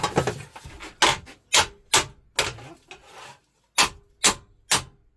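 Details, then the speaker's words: Holden Gemini coupe beaver panel straightened with hammer and dolly: sharp, bright metallic taps about twice a second, each ringing clearly. The loud ring means the metal is flush on the dolly, and further hitting starts stretching it. "When you get that loud ring, that means that that bit is actually flush. So you can keep tapping it when you get there, but you've got to be real careful because once you've got that sound, you're actually starting to stretch the metal."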